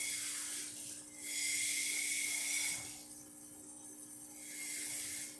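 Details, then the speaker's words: La Spaziale Dream T espresso machine after a full service and tune-up: the pump kicks on with a steady low hum and swelling hiss to fill the boiler, then shuts off once the level probe detects water. Normal operation. "So now you can hear the pump kick on, and it should turn off in a minute or so."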